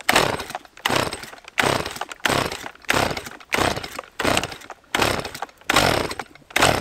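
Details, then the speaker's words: Stihl MS 180 chainsaw, about 8 years old, started after long storage and flooding, with the plug wiped dry. Switched to position one to warm up, it revs in regular bursts and picks up cleanly each time; running properly. "теперь повторяю так ставлю на единицу даем филе прогреться чуть-чуть сразу газовать не надо"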